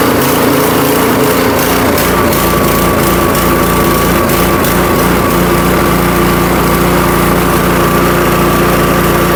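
Catches with a few uneven pops, then settles into a steady, even buzz with no stumbles; engine running properly.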